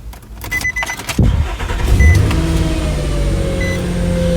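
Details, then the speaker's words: 2005 Nissan Frontier Crew Cab 4x4, rust-free California truck with replaced catalytic converters: quick crank, catches at once and settles into a steady, smooth idle with no knocks or misses and no dash lights; healthy start. "I found the keys, so I'm going to go in here and I'm going to start it up."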